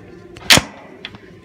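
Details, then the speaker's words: Maytag Bravos XL Steam top-load washer lid lock engaging: one sharp crisp click against a quiet background; normal lid lock engagement. "like I said newer washers come with that lid locking systems and a machine can be up until next time you restart the cycle"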